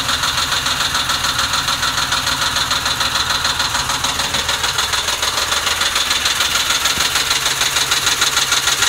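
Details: 2006 Ford Mustang GT V8, hot idle after warm-up: shaky, loping beat about three per second instead of a smooth hum; rough idle, cause not identified.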